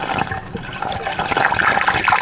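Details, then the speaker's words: BMW E90 3 series after cooling system overhaul for coolant leaks, during bleeding with engine running: irregular watery gurgling and bubbling as air is purged; bleeding takes 10-15 minutes, no leaks afterward. "But yeah, it should be making this like weird gurgling kind of, you should hear it."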